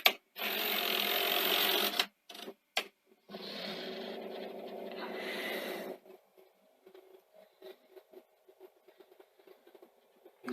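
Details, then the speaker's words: New-old-stock Sony SLO-1700 Betamax deck doing a fast rewind; it laces first, then relaces to finish winding. A fast, even whirr of tape in two stretches, then light ticking as the mechanism settles: a quick, healthy, typical C9 deck sound. "but uh it's called and you can hear it's the deck is really good it's so nice to hear typical c9 deck sound as well"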